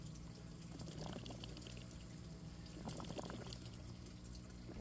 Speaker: hear that noise that gurgling that's the belly and finishing up all the air coming out of it it's burping it's finishing up